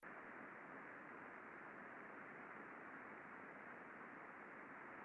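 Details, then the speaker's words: Pulley-side bearing heard through ultrasound after precision lubrication, level down from 53 to 36 dB microvolt: soft even rushing hiss with no crackle or clicks, smooth well-lubricated bearing. "Much smoother. And again, we always try to have the Y scale identical between a before and after, so you can really see the dramatic difference in the reduction of ultrasound."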